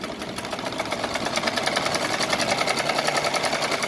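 Quick, even stitching beat around three and a half per second, light and free with no drag or catching: machine sewing normally.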